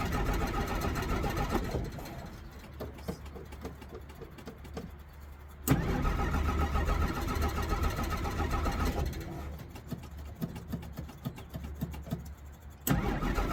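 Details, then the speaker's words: 1963 Jeep Gladiator with battery likely nearly dead from key left in ignition, pedal pumping; starter churns at three or four beats a second, engine briefly fires and dies twice: hard start, won't keep running. "You gotta start up and stay cranked up because your battery's probably almost dead."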